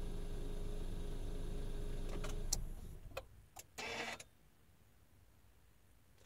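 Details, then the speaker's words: Car audio power-down after adding delay relay: engine runs then is shut off, a few light clicks and rustle, then quiet with no speaker pop or thump; amplifiers shut down cleanly. "uh now for the power down sequence everything is instantaneous everything turns off uh at the same time so I shut off the the uh the car and you shouldn't hear any power thump either here it goes"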